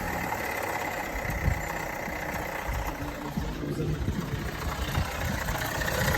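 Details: Vauxhall Astra 1.6 at idle with irregular light rattling over a steady idle, not following engine speed. The rattle has been present for months; the dealer found no problem and the source is unknown.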